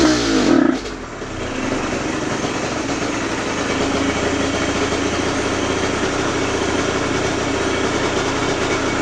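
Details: Aprilia RS50 frame with YZ85 two-stroke engine on stock clutch, springs and jetting, clutch basket ridges shaved: revs crash after the first second as clutch bites, then a flat laboring drone instead of pulling; owner suspects tuning.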